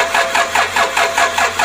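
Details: Toyota Innova 2KD diesel, first start attempt after a full engine teardown and reassembly: even starter chug at about four compressions a second with no firing or catch; cranking without starting, cause unconfirmed.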